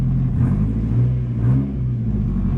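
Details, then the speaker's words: 1997 Toyota Tacoma, just started, low on coolant: deep, loud, raw exhaust rumble swelling with throttle blips; essentially straight pipe with a couple of pinholes in the exhaust, very little muffling. "Oh, I gotta put some coolant in it, but a little loud. It definitely quiets up, and I think there's a couple pinholes in the exhaust that'll have to seal up."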